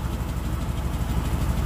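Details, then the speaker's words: 1957 DeSoto Firesweep hot rod with side pipes: deep, lumpy V8 idle with a loose, puffing exhaust leak. "let you hear that beautiful exhaust too because i know you want to oh yeah those side pipes beautiful exhaust leak too to go with it god you can't have that or maybe you can"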